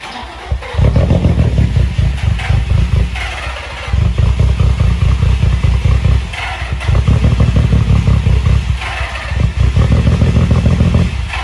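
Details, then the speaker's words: Nissan 350Z, jump-started after new camshaft sensor and cheap (snapped) crankshaft position sensor installs, previously a no-start: the engine surges in rough bursts, sags and nearly dies every few seconds, and dies when given gas. "as you guys saw in the last clip uh like the car turns on now it's kind of like idles pretty bad just like when we give it gas it like dies out"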